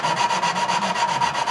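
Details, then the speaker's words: Tecumseh small-engine valve job, hand lapping a valve with suction-cup tool: steady back-and-forth gritty rasp about five strokes a second, grinding tone lessening as the seat smooths, restarting when lifted. "it gets it sounds like it's grinding less pick it up put it back down it starts over"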